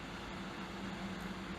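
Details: Wanptek EPS3210 32 V 10 A power supply switched off after load testing, with the dummy load still cooling down: a steady, quiet, even whoosh with a faint low hum and no rattle; this is the dummy load's cooling fan running normally.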